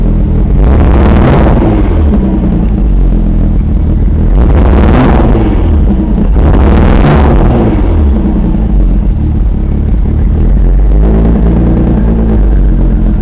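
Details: Rough idle between a few sharp revs: lumpy, uneven idle with a wavering low beat; owner suspects the passenger-side bank is running lean, unconfirmed.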